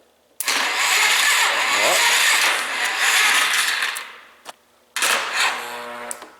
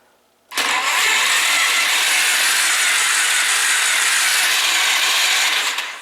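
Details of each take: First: Free 2001 Polaris Scrambler 500 ATV, no carburetor fitted, compression tester installed: two short bursts of laboured dragging cranking that never catches; starter barely turns it, only 20 psi compression shown. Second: Free 2001 Polaris Scrambler 500 with spark plug removed: even high-pitched whirring about five seconds, no compression pulses; starter spins engine freely, confirming starter works.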